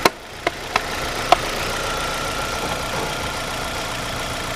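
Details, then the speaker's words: 2010 Chevy Aveo 1.6 Ecotec after valve cover replacement fixing an integrated PCV vacuum leak, coils reinstalled: a few light clicks then steady, even idle with no knock or hiss; runs like new, no check engine lights. "it's amazing how valkir make it run brand new ain't that amazing absolutely amazing no more check engine lights"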